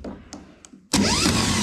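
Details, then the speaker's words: Starter motor for a 1978 Chevy K20 pickup with 454, bench-tested: a few faint clicks then a loud steady whir with rising whine as it spools up, spinning freely; normal starter spin. "that one sounds the best that one sounds good we're going to try that one"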